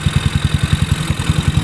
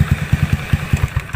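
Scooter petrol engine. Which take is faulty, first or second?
first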